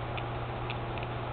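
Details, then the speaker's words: RC car: a few light, uneven clicks over a steady low hum as the gears turn, as the worn second gear chunks and skips teeth. The plastic spur gear is holding up, and a new second gear is to be fitted. "the spur gear is actually uh holding up pretty good and hear second gear chunking in there"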